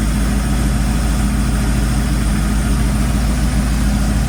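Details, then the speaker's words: 1978 Ford F100 V8 idling after harmonic balancer replacement and many new gaskets, before warm-up and leak check: steady, even low idle with a smooth rhythm and no ticking or knocking, a normal idle. "He's getting ready to start it up and pull it out, and then we're going to let it heat up, warm up, and make sure we don't have leaks."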